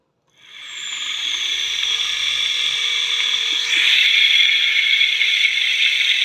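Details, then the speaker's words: E-bike motor after reassembly, wired on the bench without pan or cover: steady high even whine, the bearing ticking gone; still vibrates slightly when held, and noise gets louder when mounted on the e-trike; normal motor run. "At yan mga ka-DIY, no, nag-smooth na yung tunog niya. Okay na yung tunog niya. Wala na yung parang bumabatik-tik sa kanya."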